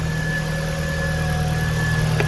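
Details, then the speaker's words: 2000 VW Golf Mk4 GTI 1.8T AGU at its first start after replacing the failed ignition amplifier on the airbox: steady, even idle with a smooth low hum and a faint constant whine, no stumble; misfire fixed. "Yeah, seems to have sorted it. Wicked. That's a proper result. So that was it. Ignition amplifier."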